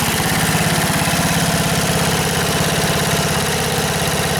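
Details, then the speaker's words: 1977 MTD 990 (badged Dayton, 16 hp) riding mower, formerly a no-start with electrical faults now fixed, on its test drive: steady, even single-cylinder thump at moderate, not-high throttle with the deck engaged, no misses or knocks; running normally. "Well, that sounds pretty good. I don't have it revved up very high, but uh the deck engaged and try cut some grass."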